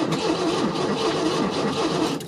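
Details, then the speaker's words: 1974 MGB sitting since 2007, possibly without fuel: starter turns the engine over with even, steady churning and no binding; tach signal seen, normal cranking. "right cool so it does crank awesome look like we did have a tack signal there which is great"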